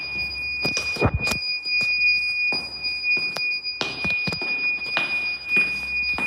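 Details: Weird beeping noise at Westminster School Amman, source unknown; steady high-pitched beep keeps sounding over room noise and knocks, like an alarm or detector chirping, recurring.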